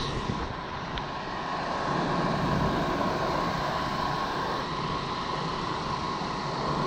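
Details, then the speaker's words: Rooftop HVAC unit blower after belt work and pulley adjustment to cut start squeal: even, steady air rush with constant mid hum, no squeal or slapping; a lot quieter than before, belt still noted for replacement; normal blower running. "lot quieter than it was"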